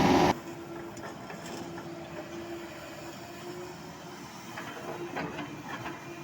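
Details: Cat 307.5 mini excavator after pump and control valve adjustment (set around 3,800–4,000), travelling with a steady hydraulic hum and light track clatter, no pump growl; travel problem and pump growl fixed.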